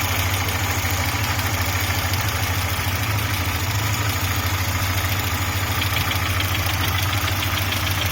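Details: Audi 80 B3 at idle: steady hum with fast, fairly regular tapping knock about three per second; source of the knock unclear.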